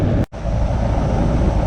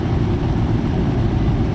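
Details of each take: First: Goodman R-410A AC unit not cooling: only the condenser fan runs with a low whoosh, compressor not starting, confirmed by manifold pressures; failed 45/5 MFD run capacitor. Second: Goodman outdoor AC unit that wasn't cooling (fan ran but compressor didn't), after fitting a new 45/5 MFD capacitor: steady, even low hum with the compressor starting and running normally.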